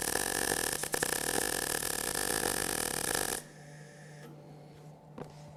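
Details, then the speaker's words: MIG welding bead: steady crackling short-arc sizzle for over three seconds with a couple of brief uneven dips; welder leaned too much while keeping head back, so torch angle slipped and arc was inconsistent. "could hear on my work couple little slip-ups what was happening is that too much weight leaned over here because I was trying to keep my head back"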